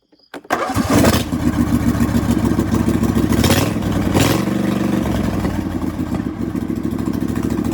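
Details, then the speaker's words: Husqvarna LGTH 24V54 lawn tractor with the muffler broken off the cracked exhaust: cranks and catches, then a loud raw blatting truck-like exhaust note; exhaust to be welded back on. "sounds like a bit of a truck we'll get her fixed up and running again"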